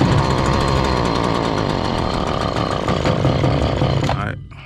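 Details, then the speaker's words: Stihl FS70R trimmer, choke off, before repair: two-stroke buzzes evenly but gains no power on throttle, then sags and dies; bogging caused by far too much oil in the fuel mix. "let's see try to give it gas no power but since it's firing up and bogging down we know it has spark and we know it has fuel so the question comes into play Air"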